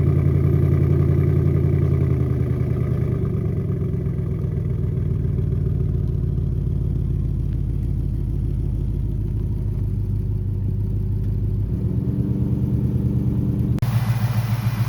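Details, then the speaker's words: Ford Mustang GT Coyote V8 just after an oil change, idling off the ramp for a leak check: deep even burble with steady low rumble and a brief rev blip; smooth running, nothing knocking or ticking. "Oh, she sounds pretty good. She sounds pretty good."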